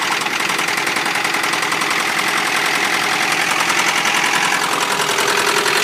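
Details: 1993 Honda Prelude H23A1 at idle with fast, somewhat uneven tapping about three or four a second over a busy idle; knock-like noise, cause unknown.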